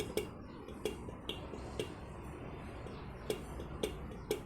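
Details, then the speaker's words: Ducati 796 with ignition on and engine off: pressing the horn button gives sharp relay clicks with no horn tone, and the headlight flickers; the horn works only with the engine running. "See, it doesn't work. You can probably hear it clicking, right?"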